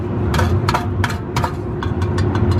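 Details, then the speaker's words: Lowered car with custom cat-back exhaust of about 2–2.5 inch, at idle under the car: sharp tinny rattles, roughly three a second, from something loose inside the catalytic converter, no shield touching; the cat needs replacing. "But you can hear this. That's awful. Let me do something quick. Yep. It's something inside here."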